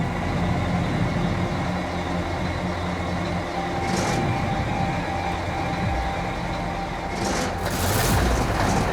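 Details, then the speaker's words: Gold Rush dozer after engine swap, first firing of an engine not turned over in 5 years: deep steady diesel rumble, even low drone, no knocks or rattles; back in business. "There you go. The king of the Klondike is back in business."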